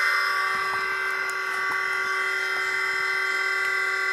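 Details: New MN2214 V3.0 Tiger Motors fitted to a DJI Phantom Vision, shell back on, first power-up: steady, even high whir with no ticks or rough patches; fresh motors spin up and run smoothly.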